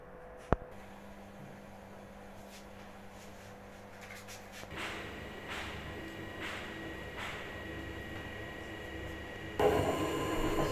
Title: Home diagnosis: Another machine down,bearings problem/this is why your machine makes noise spinning